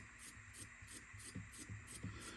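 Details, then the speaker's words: Sony DTC-75ES DAT deck under restoration, tested upside down after installing new gear and lubricating pinch roller arm slides; light rattling ticks about three a second over soft motor hum from gear's up-down free play, expected to stop once turned upright. "you hear the noise that comes from this J because it sits upside down and it has a free right up and down so when it will be rotated back it will not produce this noise so don't afraid"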